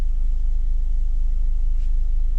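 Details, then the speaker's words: Ford EcoSport 1.4 diesel after a fault was repaired and connectors refitted: the malfunction light is gone and the DTCs are cleared; an even, steady low thrum with no missing or vibration, a smooth healthy idle. "ఇందాక vibration అయింది కదా చూడండి ఎలాంటి missing ఇట్లా ఏం లేదు చూసారా silent గా ఉంది ఓకే"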